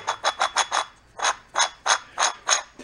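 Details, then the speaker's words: Trash-picked gas-engine-powered blender, drive spun by hand: bursts of gritty ratcheting grind about three a second where it should be silent, sometimes locking up when turned backwards; rough lower bearing suspected. "there it goes yeah she's going around crunchy though [ __ ] if i go backwards it locks up sometimes"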